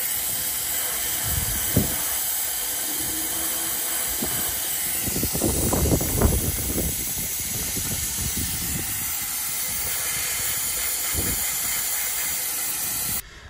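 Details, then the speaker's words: 2024-2025 SeaDoo 325 supercharged engine: steady airy hiss with soft puffs as boost leaks past the intake manifold gasket, because metal manifold spacers are too thick and give poor clamping force; fixed by shaving the studs. "those spacers which are metal are too thick and it's not giving enough cramp uh kind of clamping force on that gasket and it's letting boost uh kind of seep through the intake uh through the manifold uh space"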